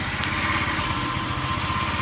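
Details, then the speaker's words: Scrap-yard Chinese scooter with a small single-cylinder engine, carburetor just refitted, air cleaner off, idles with an uneven, stumbling beat and irregular firing; owner says it needs carburetor tuning, cause not confirmed. "doesn't idle smoothly like I like it to but I'll tune that up a little bit adjust that carburetor a bit"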